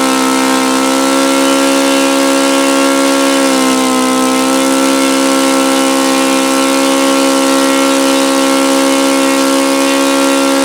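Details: OS FS-alpha 110 model four-stroke glow engine, freshly reassembled after crankshaft bearing and connecting rod replacement, drones loud and steady with a slight dip midway; it falls well short of the review article's rpm figures.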